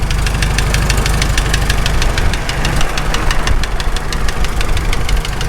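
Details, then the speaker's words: Farmall H tractor, first start after engine rebuild; sharp even ticking about five to six a second over a steady idle, seeming up high, which later went away; owner considering pulling the muffler, cause unconfirmed. "then we started hearing a little bit of a tick noise so I shut it down took a look didn't find anything wrong"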